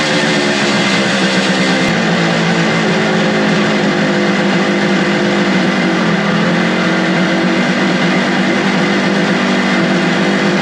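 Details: Suzuki two-stroke motorcycle with non-original carburetors after adjusting the carburetor screws: loud, busy idle holding an even speed without stumbling or dying over ten seconds; idles and runs well.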